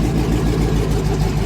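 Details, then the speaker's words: Old truck with 6.0 L V8 and 4L80E, VATS anti-theft deleted with HP Tuners: deep steady V8 rumble, even beat, no knocks or misses; runs normally after the deletion. "he helped me get it figured out enough to where you can make her run so now [Music] it does just what it's supposed to"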